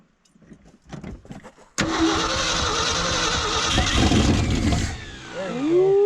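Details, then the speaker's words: Old Ford dump truck, last run in the late 90s or early 2000s, revived in the cold and fed from a jerry can by hose. A few cranking coughs, then it roars about three seconds and dies from fuel starvation as the hose pops out of the can. "oh the hose keeps popping out of the cast oh so close"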